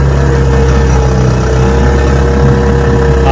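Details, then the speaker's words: Restored 1971 Johnson 6 hp two-stroke outboard on its first on-water test run after restoration, idling on the water: steady, even low putter at one pitch with no misses or surges. Normal idle. "sir like it a lot a lot nice little motor idle's good touch right up"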